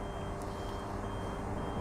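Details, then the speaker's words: E&P Hydraulics Level C levelling system on a 2020 Bailey Alicanto Grande Porto twin-axle caravan, jacks retracting in automatic mode: steady high electronic beep over a low pump hum. Normal movement warning. "as you can see with the screen you can probably hear the beeping to warn other people that there's that there's movements and whatever is moving on the on the EMP syst"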